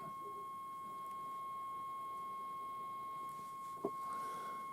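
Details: GEC BC505 1960 transistor portable, long wave alignment: 220 from signal generator, dial near 1364, peaking ferrite aerial coil L3 on power meter; clean, steady mid-pitched test tone over quiet hiss with one brief click.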